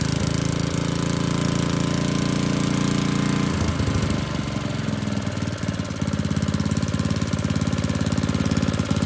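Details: Old Tecumseh four-stroke edger engine settles after a few seconds into a steady, even chug with no hunting; normal running after carburetor adjustment.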